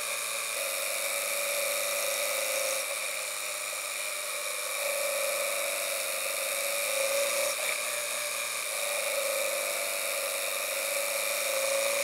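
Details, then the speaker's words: Engine under load held in one RPM range, ignition timing advanced two degrees per pull past the knock threshold: steady high drone with faint irregular sharp pings, heard through an audio knock detection gauge; light detonation knock. "sound of knock in there as we increase the timing we have gone past the knock threshold but just to really show you what it sounds like I'm going to add another two degrees and you should hear some definite knock now"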